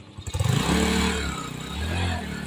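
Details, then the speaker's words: Yamaha STX125 motorcycle that misfires and dies, mainly in third gear, even after carburetor cleaning and tune-up: revs unevenly with surging, stumbling beats instead of a clean climb. "itong motor ni boss mga katropa palyado daw pina-una niya na pina linis yung karburador pero palyado"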